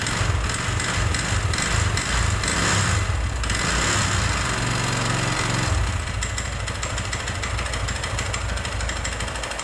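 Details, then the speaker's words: Honda Megapro motorcycle engine running very rough: a dry, hard clattering rattle that gets louder and rougher as the throttle opens. Suspected oil starvation from very low oil, plus a worn piston and connecting rod (piston slap). "nah seperti itulah tadi ya suaranya ya teman-teman itu sangat kering sekali dan atos kedengarannya Nah untuk dugaan sementara kita mau menduganya ya ini di bagian pelumasan ini enggak ada ya artinya olinya itu tinggal sedikit"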